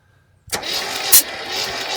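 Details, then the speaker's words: 1972 GMC 1500 after sitting about 30 years; a valve thought to be hanging slightly open was treated with penetrating oil: starter cranks with firm, even compression pulses about once a second; compression restored, cylinder sealing again. "Oh yeah, we got compressions there."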